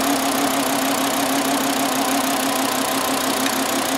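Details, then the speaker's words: 2009 Volkswagen Jetta 2.5L, flashing check engine light, at idle during cylinder drop test; uneven loping stumbling idle, misfire traced to a failed ignition coil confirmed by swapping coils, cylinder without spark. "so now we've confirmed low Tech we have no sparkk one bad ignition coil we didn't even need a scan tool"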